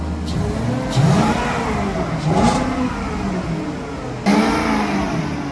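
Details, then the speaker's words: Infiniti G35 with a starter issue and a check engine light: on each throttle blip the revs rise, then sag back slowly instead of dropping to idle. The revs hang and acceleration from idle is poor. "That thing hangs so bad."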